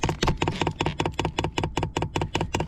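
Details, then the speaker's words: 2 kW diesel heater installed in a Land Rover Defender 110, priming after power on and pressing OK five times: crisp, even ticks about five a second; the dosing pump pushes fuel into the filter normally. "So what we got to do to get the fuel pump to prime is obviously power on. Press the OK button 5 times, and as you can hear, she's pumping,"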